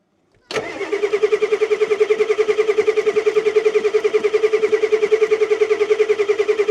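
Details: 1989 Ford F250 7.3L IDI diesel, first start after sitting 6 years, glow plugs working: it catches abruptly and settles into an even, loud clatter at about three and a half beats a second on all cylinders. Dirt blows out, and it is not taking fuel well.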